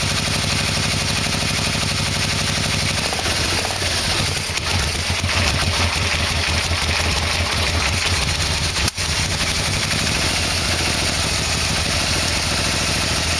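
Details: Yamaha V-Max with a 1987 engine fitted, final test after a carb sync with the exhaust connected: it starts promptly and settles into an even idle with no ticking or knocking. The owner is unsure the plugs are seated properly, but calls it a success.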